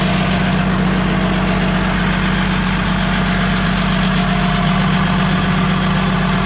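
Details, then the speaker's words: DT360 diesel after P7100 pump install, restarted with new injector crush washer: uneven puffing tick about three a second over the idle clatter, injector seal still leaking compression; suspected silicone used on crush washers hardened before tightening. "Well, as you could hear, started up again, still leaking."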